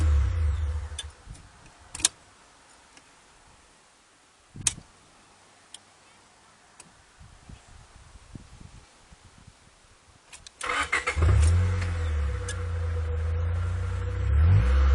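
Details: Honda Prelude fifth generation 2.0, intermittent no-start: faint clicks then low labouring starter drone without catching; cranks but won't start, cause unknown.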